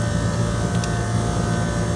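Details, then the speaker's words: Commercial package unit after replacing the condenser fan motor. The new motor gives a steady low hum with a clean, constant tone and no squeal, and both legs now draw an equal 2 A. Normal fan motor running. "Now listen to the new motor. That sounds a lot better."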